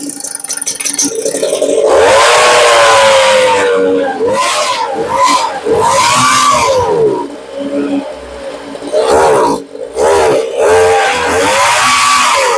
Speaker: So you see the problem she's got is she only runs when she's choked or partially choked. And that tells me that we're getting fuel, but not enough.